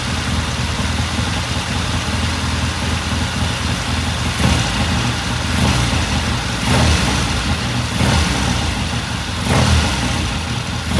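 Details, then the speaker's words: 1969 Triumph TR6 twin after pilot jet cleaning and pilot air screw turned in half a turn, idling after cold start: loping idle with light throttle blips, no knocks or misses; normal warm-up idle. "It sounds good. I'm just going to let it sit here and idle for a while. Run for a few more minutes."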